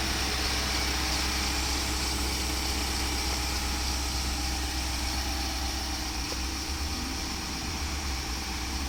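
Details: 2015–2017-style 2016 Infiniti QX80 V8 after fan clutch replacement: steady, even idle around 1,000 rpm with a smooth hum and no fan roar. It has quieted down, revs normal, the warning light is still on pending a code clear, and the fan that previously stayed on is fixed.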